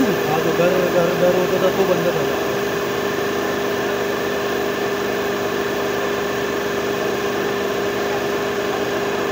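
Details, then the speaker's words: Renault Kwid Climber after water pump replacement, coolant refilled and air bled from the heater line. Smooth, even idle with a steady hum and fan whir, no knocks or squeal; the earlier noise is gone. "आता इ आवाज बंद झाला पूर्ण आवाज येतो बंद आहे ठीक"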